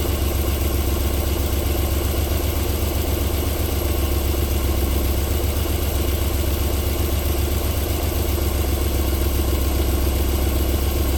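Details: 1994 Alfa Romeo 3.0 24v QV V6 at cold start-up, idling silky smooth with a steady, even low pulse and no knock or tick yet; a normal idle, though knocking returns after about 4 minutes.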